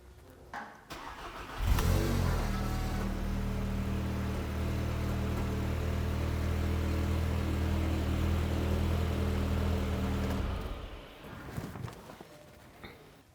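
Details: Mk7 VW GTI first start after IS38 Golf R turbo upgrade, ten-second run to check for leaks: engine cranks, catches at once and settles to a smooth, even idle for about eight seconds before shutting off; sounds healthy.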